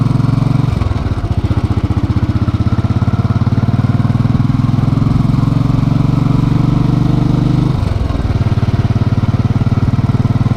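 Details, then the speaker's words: Motorcycle at hot idle after a short ride, following dealer replacement of the engine, starter, throttle body and fuel injector: even, steady thump with two throttle blips, no knocking or valve noise; normal hot idle. "alright let's listen to the stark difference now with the new engine as opposed to the old engine with all its issues that were looked you'll notice no knocking on takeoff"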